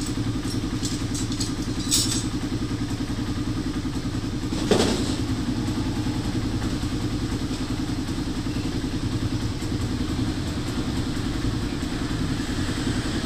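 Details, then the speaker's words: Motorcycle with noisy engine after new timing chain, chain guide, shim and reset tensioner: four-stroke idles with an even low beat around 207 pulses a minute and one brief thump; engine sounds healthy, normal running. "so pagkatapos magpalit ng timing chain with guide magr shim magreset ng tensioner umok na ung motor ni boss no"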